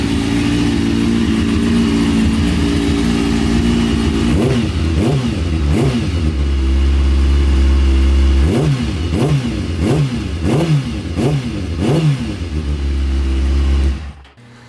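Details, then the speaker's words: Motorcycle after front end swap, stunt chain conversion and new small-can stunt exhaust: smooth idle, then quick throttle blips rising and falling cleanly and evenly before shutoff; running really nice. "I mean I like it it runs it runs sounds it sounds like it's running really nice now"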